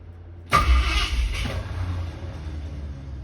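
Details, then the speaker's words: Ford Torino with headers, starter before replacement: starter whirs, engine catches briefly then fades with a rough grind as the Bendix starter gear kicks back out of the flywheel; intermittent, sometimes long to start. "The Bendix, or the starter gear, kicked back out. See? This is what I deal with on a daily basis."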